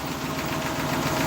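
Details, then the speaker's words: 1964 classic Ford running at idle with a faint, quick, regular tapping that tracks engine speed, a possible lifter tick; the earlier torque converter noise is gone; owner calls the oil pump junk. "But yeah, she runs pretty well. I don't not hear that um torque converter no more. Maybe a bit of a lifter tick."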